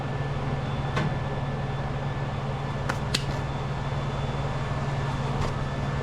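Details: 2004 Dodge Ram 1500 after a replacement exhaust, using parts from a 2003, was welded in (pipes still to finish): deep, steady low rumble with a couple of light ticks on top; exhaust even and tight, no leak puffing.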